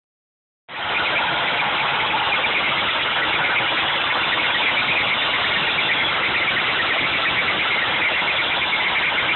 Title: Supercharged 3800 with bad bearing